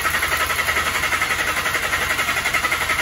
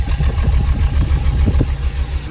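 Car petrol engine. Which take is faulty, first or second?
second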